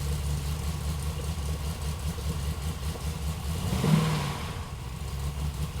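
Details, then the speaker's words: LS engine with ACES Jackpot 2 drive-by-wire EFI, after fuel pump prime: cranks and runs rough and uneven for a few seconds, then catches with a surge; slower, harder start than the day before, cause unclear. "Come on. Battle me. All right, I've seen it start a lot better yesterday."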